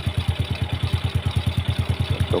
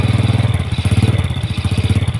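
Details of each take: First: Yamaha Jupiter Z after the clutch knock was fixed with an added ring (shim), before the clutch cable was reattached; the clutch was found adjusted too tight. Crisp, even idle at about nine beats a second with no clatter: normal idle. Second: Yamaha Jupiter Z single-cylinder idling smooth after the noisy clutch was fixed with one added ring; a hard chuffing puff on every firing pulse reveals a leaking exhaust.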